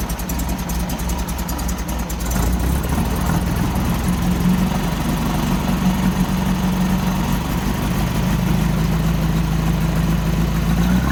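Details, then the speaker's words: 1964 VW Beetle air-cooled flat-four after new spark plugs and fuel filter relocation, with a backfire being diagnosed: a lumpy, irregular idle as if one cylinder keeps dropping out; the oil pressure light goes out after start, and the cause is suspected, not confirmed. "but it really doesn't sound happy um I'm not even sure if it's running on all four cylinders because it sounds quite lumpy"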